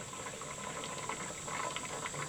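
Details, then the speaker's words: Pressure canner on an LP hotplate outdoors just after heat is turned off: jiggler stopped, soft uneven bubbling and faint hiss as contents keep boiling while pressure falls; normal cool-down. "you hear it boiling inside yet and now we just leave it alone for a while the pressure will come down"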